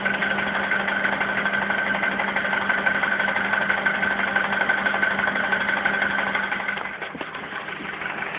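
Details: Honda Accord with K20 engine at idle: regular light tapping knock, roughly three per second, riding over the engine hum; knock source not pinned down.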